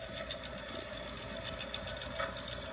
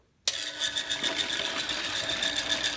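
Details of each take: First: Chicago Electric dual-drum rotary rock tumbler from Harbor Freight after about 30 hours of running, lithium grease applied: steady, even motor hum with a constant mid-pitched tone and light rattle of rocks, no knocks; runs smoothly. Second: Chicago Electric dual-drum rotary rock tumbler running: steady, busy mechanical whir with fast rattling ticks about four per second; noise comes from the motor and drive mechanism, not the rock canister.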